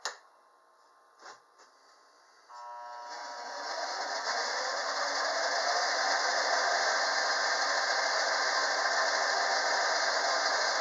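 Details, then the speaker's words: Skil 3386 band saw retrofitted with a 1.3 hp 95 VDC treadmill motor, KBMM-118 controller, speed at mid-range: clicks on, soft-starts with a rising whir, then holds a steady hiss at constant speed; running smoothly. "this does have a soft start to it so it kind of ramps up kind of slow but that's fine you know it's up to speed it ain't slowing down after that"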